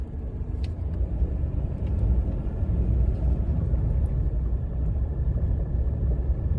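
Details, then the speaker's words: 2018 Ram 1500 EcoDiesel driven over a rough gravel drive after driver-side inner tie rod and front sway bar frame bushing replacement, for a reported front-end rattle over bumps; only tyre and road rumble and keys hitting, no suspension noise heard. "So, we are going to hit another bump here. We'll see if I can hear anything. It's a dip, actually. Not really a bump, but heard the keys hit right there. But that's all I heard."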